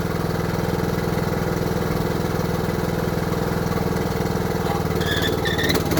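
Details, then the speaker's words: Craftsman LT3000 riding mower, single-cylinder, after valve adjustment (said to have rod knock, owner suspected valves): steady even chug at settled idle, no ticking; problem fixed, running healthy. "I think it's more working pretty good seems like we got our problem fixed"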